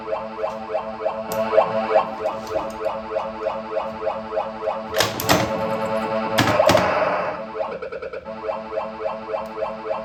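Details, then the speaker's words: Bally pinball machine before teardown, background sound restored via dip switch setting, side kickout cleaned of rust; looping electronic tune with regular thumps and chimes as bumpers and flippers fire; everything on playfield working normally. "All right. So, you guys hear it? It works. Seems like everything's working on the playfield and everything."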